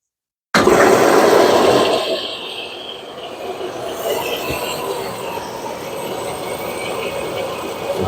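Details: Whirlpool stacked washer test run after replacing direct-drive transmission that leaked oil from a bad seal; sudden steady rush of water settling into even hiss as tub fills quickly, pressure switch sets level; normal fill, no leaks.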